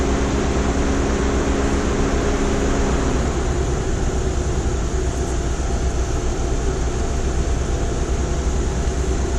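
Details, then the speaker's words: 2002 Toyota Camry after head gasket repair (head resurfaced 0.010 in) and new injector O-rings: steady, even, smooth idle with no stumbles, ticks or knocks. It ran perfectly once the upstream O2 sensor, suspected fouled by coolant, was unplugged; brake-cleaner test suggested no vacuum leak. "what I end up doing is unplugging the Upstream O2 C sensor here so that upst screen old two sensor shot thing runs perfect now"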